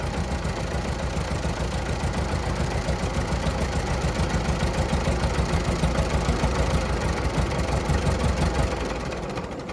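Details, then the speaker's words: 1940 Minneapolis-Moline RTU tractor after sitting too long, with fresh plugs and fluids: catches quickly with no choke, then a steady, even low idle about three beats a second; normal start and idle. "Can't beat that. Started right away. Had didn't even engage the choke."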